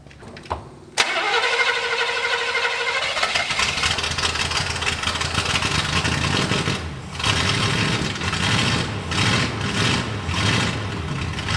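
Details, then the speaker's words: 1965 Buick LeSabre V8, sat 34 years, muffler removed: short crank, then a loud, raw, blatting open-exhaust roar like a derby car. Seems to run better but too loud; open exhaust. "it's a little too loud what do you think I don't know it seems like it runs better don't it I can breathe now"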